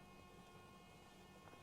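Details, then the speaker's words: Audi A6 C7 after a fuel filter change, fuel pump run through a diagnostic action test before starting: a faint, steady electric hum holds at one pitch for two seconds; normal fuel pump priming. "if I click OK if I press Start you'll hear the fuel pump Prime if you can hear that"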